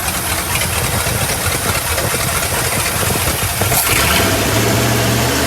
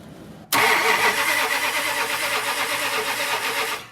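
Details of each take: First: 1965 Chrysler Imperial LeBaron V8, abandoned over 20 years, first run with Edelbrock carb fitted: rough revving settles after about four seconds into a steady, even low idle with faint hum; normal idle. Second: 1965 Chrysler Imperial LeBaron on Edelbrock carb, carburetor leaking: engine catches abruptly, runs ragged and stumbling a few seconds then dies; flooded, getting way too much fuel, carb needs rebuilding.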